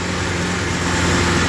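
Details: 1963 Alfa Romeo Giulia Spider after replacing the failed, overheating 62-year-old original Bosch ignition coil that caused misfiring and no-start: fires right up, smooth even idle with steady low drone, no misses or stumbles; running normally.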